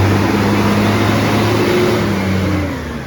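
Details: SJ garbage truck SL01400, heavy diesel pulling away with a loud, deep, raspy roar that swells with revs from a massive exhaust leak.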